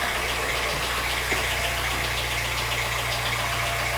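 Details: 2010 VW Fox, adapted to run on alcohol, idling with scan tool connected: a steady, even idle with a smooth low hum and no knocks, misses or hunting; parameters look correct, throttle reading somewhat high.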